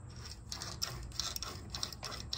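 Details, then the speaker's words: York AC compressor on a truck, engine off, clutch pulley turned by hand before bearing replacement: rough, uneven clicking and gritty ticks from the worn AC clutch bearing. "but at a minimum I know this Seal's got this uh bearing's got to be replaced I mean just listen to it can you hear that"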